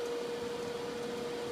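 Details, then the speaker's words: Newly replaced blower motor on a Hydro Flame RV furnace from a 1989 Teton Homes fifth wheel, bench tested, spins up to a steady, even hum with clean tone, no rubbing or rattling; normal run before gas valve opens. "this time there goes the motor"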